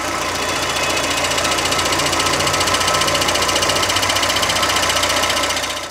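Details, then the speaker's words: Car clutch with the pedal released: fast, even ticking clatter about three or four beats a second that stops when the clutch is pressed and returns on release; worn or broken clutch release bearing. "dañado como son baleros puede que ya estén rotos y es por eso que se escuche ese ruido"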